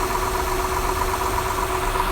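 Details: 2008 Honda Accord 3.5 V6 at idle, fast, even light rattle over a steady idle; valve train ticking from excessive valve clearance, needing valve adjustment, typically due around 100,000–120,000 miles.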